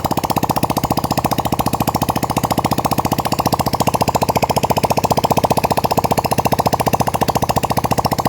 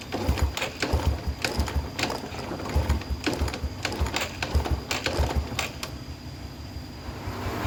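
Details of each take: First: Yamaha Vega R that would not start, running with exhaust removed: loud, rapid, evenly spaced popping from the open port with no misses; engine runs cleanly. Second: Yamaha Vega R that keeps stalling and is hard to start: light, quick kick-start strokes with a dull clatter, never catches; kick feels very light with no compression, possibly valves or piston rings, not yet confirmed.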